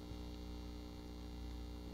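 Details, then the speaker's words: 1939 GE marble radio receiver powered up: loud steady low buzzy mains hum from failing filter capacitors, capacitor getting warm; also had a wiring error and bad speaker. "It's humming. You can hear, you know, the filter capacitors are definitely bad."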